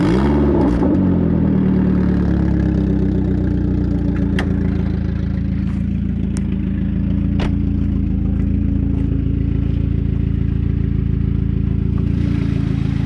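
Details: Saab 9000 at idle and revs: rough uneven puffing chuff about four beats a second over a low engine drone, sounding like a tractor; exhaust leak.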